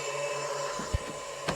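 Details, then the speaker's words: Off-grid solar setup, inverter switched off: a steady low hum with a thin rough whine and a few handling knocks from the cooling fan inside; owner believes it is the fan and that it is wearing out. "The fan sounds like it's on its way out, which is not a big deal."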